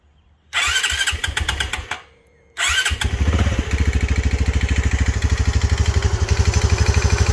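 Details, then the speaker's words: Honda CT125 Trail 125 with 164cc Yuminashi piston and cylinder (after a Takegawa kit): single starts, dies, restarts, idles with hollow knock ~3/s, piston slap; second piston destroyed, owner suspects lean running at wide-open throttle. "once again I've got piston slap of course this is not a takagawa piston cylinder anymore this is a umenoshi uh piston and cylinder"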